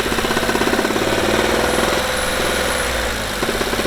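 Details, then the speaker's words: Seat Mii small petrol engine, car back in the workshop after one week: sharp, fast clacking from the engine bay that rises and falls with rpm under light throttle toward 3000, absent at idle and gone at certain rpm under load. "also wir haben einen drehzahl abhängiges klackern aus dem motorraum das im leerlauf nicht stattfindet und auch auf einer gewissen drehzahl beim fahren vor allem unter last weg geht"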